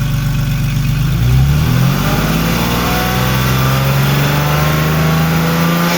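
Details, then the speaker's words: Warm petrol engine with the drive belt removed, revved and held between 3500 and 4000 rpm: a rough grinding rattle over the engine note that goes away at higher revs; cause unknown. "just don't get it we get up to there's RPMs it starts making that grinding rattling whatever the heck you want to call it noise if I go much higher it goes away just doesn't make sense"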